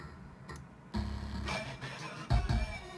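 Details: Gigabyte G1 Z87 motherboard: music playback comes out choppy, with uneven thumps, crackles and dropouts. Fault lies in the sound driver; uninstalling all sound drivers, restarting and reinstalling the Sound Blaster driver made it almost non-existent.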